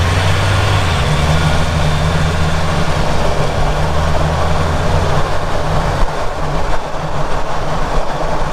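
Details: Ford Ranger Raptor, microphone on the rear diff near the prop shaft bearing, while driving: steady low even drone with no grinding; rear diff and prop shaft bearing show no noise, grinding source still being hunted.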